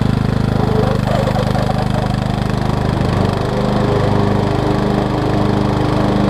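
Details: 2003 Craftsman LT2000 riding mower after new belts and freeing a frozen deck spindle: steady, even engine drone with blades spinning, no knocks, squeals or hunting; belts aligned, oil clean and full, deck healthy.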